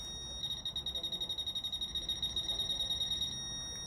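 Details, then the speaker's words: Fisher F-Pulse Air pinpointer in an air test: steady high tone pulsing quickly for about three seconds; it signals contact over a wide zone, not only at the true contact point. "le point de contact il est là ok mais il n'est pas que là puisque il peut être aussi là"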